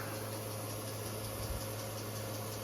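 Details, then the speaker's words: GE 6200 BTU window AC after cleaning, heard from outside: a steady low hum with an even fan rush, and the compressor holds on without cycling or rattles; running normally. "It's super nice to come out here and to hear the AC run. It's a nice feeling. I think the compressor better not shut off. It didn't."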